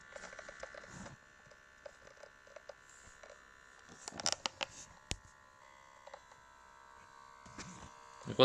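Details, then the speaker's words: Oculus Quest VR headset making a weird noise at power-on: thin steady electric buzz like velcro detaching, owner suspects vibration motor, plus a few handling knocks. "do you hear that it sounds like some some velcro is being like detached or something"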